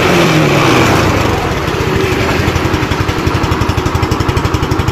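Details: Motorcycle revved to check charging after reviving a weak wet battery, peaking 14 volts (normal, under 15); loud rev drops back to even thumping idle near four beats a second, no misses; normal revving.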